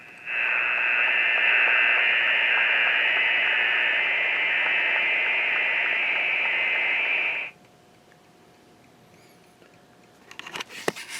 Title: rf interference from a switch mode battery charger